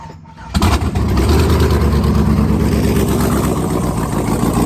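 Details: Second startup after rebuild of a 5.3L truck V8 with Texas Speed stage 3 truck cam 216/220 .600/.600 112 LSA, no headers, stock bottom end and stock tune, new charged battery: cranks, catches quickly, settles to a choppy loping idle; healthy.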